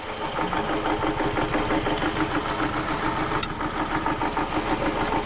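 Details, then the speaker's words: 2006 Toyota Camry with rough running, power loss and vibration: lumpy, stumbling idle that never settles; the ignition coil gives no arc to ground in a screwdriver spark test, confirmed bad. "so right there we just confirmed 100 that coil is bad uh we've got no Arc coming out of the coil itself like it's supposed to"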